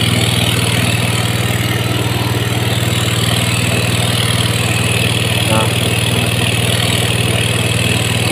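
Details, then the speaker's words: Yamaha GT 125 after ISC cleaning and reset (ISC 48% to 25.5): fast even idle near 2300 rpm that doesn't drop; mechanic suspects throttle stop screw was turned open by a previous shop because it kept stalling. "mesin di 2300 ya."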